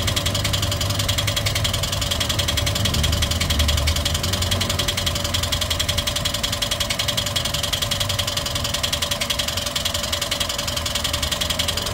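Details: Toyota 1NR-FE engine at about 370,000–400,000 on the clock, idling: constant fast metallic clatter, loud in the upper range, from worn timing chain and tensioner; timing chain replaced and hydraulic lifters cleaned afterwards.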